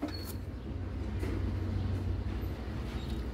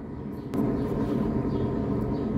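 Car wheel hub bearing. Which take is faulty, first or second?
second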